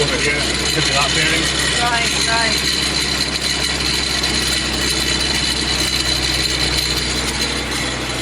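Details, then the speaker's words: Mitsubishi FTO track-car build, first start of a freshly installed engine on jump leads: idles fairly evenly with a steady high-pitched whine throughout from the belt drive; owner suspects the tensioner bearing, not confirmed. "okay guys so we got a running as you can hear we had a pretty nasty sound from the tensioner bearing I think"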